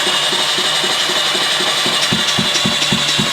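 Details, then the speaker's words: Honda CX500 motorcycle engine after freeing a seized engine, reassembled and cranked on the starter with palm sealing the spark plug hole: steady starter whir with even puffs about four a second; compression is there. "So I turned it over with everything back in. It sounded like we had some compression."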